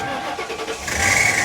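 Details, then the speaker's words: 2004 Ford Crown Victoria, ex-sheriff's department car, first start: a brief odd rasp on the first crank, then it fires right up and settles; cause of the start-up noise unknown. "Made a weird noise to begin with, but she fired right up."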